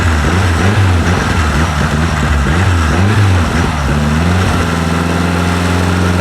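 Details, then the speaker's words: Barn-find Renault 5 GT Turbo, parked since 2001, running with the choke out on a temporary funnel fuel supply bypassing a suspected dead electric fuel pump: revs blip up and settle back cleanly with no knocks, rattles or misfires. "that's the choke out I love that knife sounds wow wow how good does that sound I call that a victory that sounds good"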